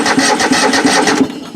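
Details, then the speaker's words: Craftsman riding mower engine (Toro-badged) not run in a while: steady starter churn with compression pulses about three per second, no firing; cranks but won't start. "Well, cranking over anyway."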